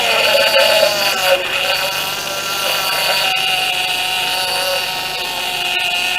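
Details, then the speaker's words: 2007 Pontiac G6 after replacing the leaking high-pressure power steering hose (rack to pump) and refilling: pump gives a steady high whine over the running engine from air trapped in the fresh fluid, not low fluid. "I'm sure you'll see you know what a power steering pump sounds like once well this one's not a low of course it's just got a lot of air in it so we'll start it up and check it out"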